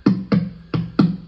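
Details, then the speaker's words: National HRO-500 HF oscillator tuning capacitor, heard on an RTL-SDR in narrowband FM with the VFO near 9 MHz. Sharp thumping bursts come about every third of a second, each jolting the signal. Finger pressure steadies it; something on the capacitor is loose, causing microphonics and lost sync lock. "I now have pressure on this thing with my finger and I don't affect it much so the problem is yeah the damn thing's loose something's loose on it"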